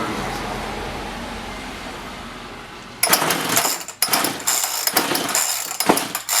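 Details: Roughly 35 cc chainsaw with 14-inch bar that won't rev or hold idle and falls on its face; quiet spell, then ragged high-pitched bursts that flare and sag; bogging traced to a bad spark plug that still showed spark.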